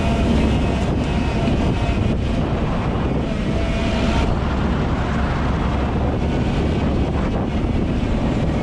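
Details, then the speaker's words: 2020 LADA Vesta SW Cross, 13,300 km, 1.8 engine, AMT gearbox, updated SAAZ front struts on broken dirt road: continuous tyre and road rumble with some wind, no clunks or knocks over bumps; suspension healthy. "вы все увидели своими глазами и услышали своими ушами насколько отлично отрабатывает обновленное стойки"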